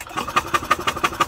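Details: 1998 Yamaha golf cart engine after a rollover, with crankcase oil in the carburetor bowl: sharp, evenly spaced thin and uneven puffs about six a second as it fires for a few cycles while oil-flooded.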